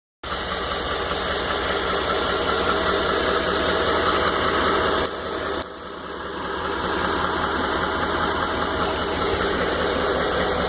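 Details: 2012 Ford F-150 5.0 V8 at idle: fast, fairly even ticking knock about four per second over the exhaust; engine knock of unknown origin.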